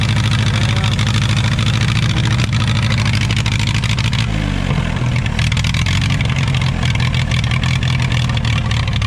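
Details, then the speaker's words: Allis-Chalmers WD tractor, rebuilt engine with eBay pistons, Marvel-Schebler carburetor mixture screw 1.5 turns out: chugs unevenly with shifting pitch, sounding starved, runs better on choke; lean running from a carburetor fault, carburetor to be pulled again. "I'd probably kill it, dude. We're gonna have to pull the carburetor back off. But it ran, and it ran pretty good when you got the choke on."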